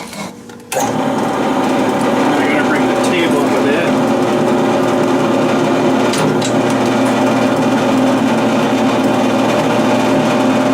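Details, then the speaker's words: Drill with a spindle the owner suspects wobbles, drilling steel at low speed: steady motor drone with sparse sharp crackles as the bit cuts; crackling cause uncertain. "I could probably speed up the drill here a little bit but just going to let her do its thing now I think that crackling sound something to do with"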